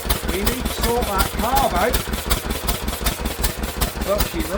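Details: Old Lister engine, first run in many years after sitting, throttle held open with a stick, governor linkage not yet sorted: brisk, even beat near 160 per minute, a bit fast but steady, no knocks; healthy engine.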